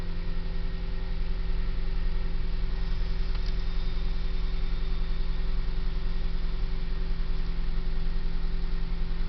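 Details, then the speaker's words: Kia Ceed cold start: steady, even tapping about two to three per second over a high cold idle, fading as revs drop; cold-start engine knock, source unclear. "завожу холодный двигатель Kia Ceed."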